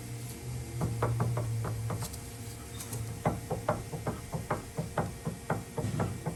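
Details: 2007 Dodge Dakota rear suspension: sharp, uneven clunks mostly over bumps and dips, caused by worn, weak rear sway bar links.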